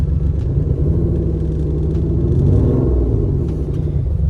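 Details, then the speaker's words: Alfa Romeo GTV exhaust, never this loud before: deep, overly loud rumbling with a blatty low-end throb as revs swell, like a cammed V8; exhaust leak and loose hangers, later fixed with new test pipes, X-pipe and cat delete. "the car was never this loud. It sounds like an Italian NASCAR that's cammed with a V8."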